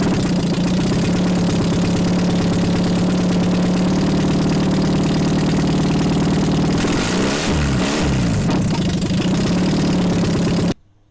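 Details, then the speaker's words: Nissan SR20DE being swapped into a Micra K11, running after ignition timing was corrected by a 360-degree offset: smooth, even idle with a steady low hum, no knocks or misses, quieter than expected; normal idle. "Ah, le bruit! Ça va, je m'attendais à plus fort que ça."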